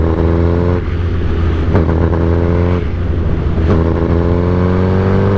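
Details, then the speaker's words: 2008 Suzuki GSX-R1000 fitted with velocity stacks, in sixth gear at low rpm: a low drone with a brief stumble about once a second; the stutter clears above about 3,000 rpm, and the owner suspects the clutch or transmission. "you hear that all that stuttering there you go now you guys can see what I'm talking about and it does it at the low RPMs"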